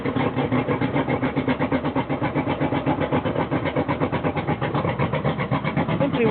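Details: Suzuki DT225 outboard on flush muffs with homemade flush muffler reducing its loud exhaust, now sounding like a 50 hp; steady even run about four pulses a second, deep subdued exhaust note, running smoothly.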